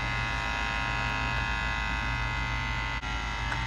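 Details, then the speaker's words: GE side-by-side refrigerator with inverter-controlled compressor: steady electrical hum with coarse, uneven buzzing; compressor hot to the touch, condenser about 15 degrees below the expected ~100; sealed-system issue or, more likely, a bad compressor; compressor noise. "It's definitely coming from the compressor. Feel it very, the compressor's hot to the touch."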